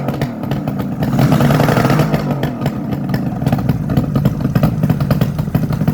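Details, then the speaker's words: 1972 Suzuki GT750J Le Mans "Water Buffalo", 35k-mile water-cooled two-stroke triple, cold start on choke: raspy, uneven burble with sharp puffing chuffs under revving; exhaust leak where the crossover pipe has come out, to be tightened. "oh well I just noticed if you can see the crossover looks like it's actually come out right there which is probably most of the noise yep see that right there okay well we'll tighten that up"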